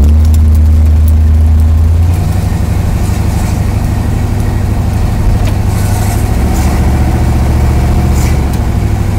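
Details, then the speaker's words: 1979 Chevrolet Camaro with newly installed engine, first drive, stock carburetor settings: deep V8 drone under steady throttle drops in pitch and loudness about two seconds in as transmission takes a clean upshift; normal. "it shifted did you hear it pretty sure that was a shift"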